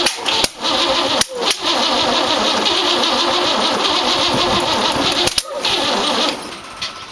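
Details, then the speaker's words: 1914 Dodge T-bucket roadster on first start attempt: starter churns steadily with no catch, because plug wires were set in clockwise Ford firing order while this distributor turns counterclockwise, Chevrolet style. "well bonehead mistake I put it firing order on here clockwise old Ford hangover visitor this turns counterclockwise juvie style"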